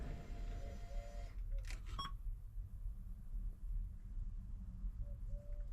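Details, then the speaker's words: 1984 K5 Blazer after conversion from Holley Sniper 1 to Sniper 2 EFI: quiet cabin with short mid-pitched electronic chirps coming and going before startup; weird intermittent beeping noise, cause unknown. "There's a weird noise going on. Okay. Brother. Does it change when I start it up?"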